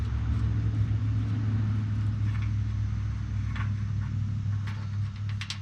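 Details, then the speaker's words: Polaris RZR 1000 XP (2014–2016 style) with the stock hydraulic timing chain tensioner stuck, not building oil pressure to take up chain slack: a steady idle rumble with scattered sharp ticks and slaps from a slack timing chain; fixed by fitting an aftermarket tensioner. "junk hydraulic tensioner. These things get stuck. Don't build up oil pressure to keep slop out of the chain."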